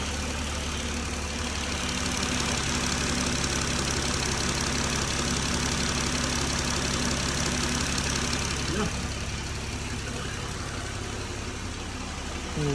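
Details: 2020 Jeep Gladiator idling after rocker arm repair for a top-end tick; smooth steady even low hum, no ticking. Belt noise normally fades after idling; owner suspects slight water pump drip. Normal idle.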